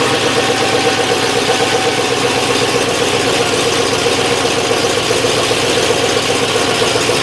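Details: 1963 Oldsmobile V8 freshly reassembled and just started, not yet warmed up or timed, smoking in the shop: rough, uneven idle with a loping stumble, a misfire.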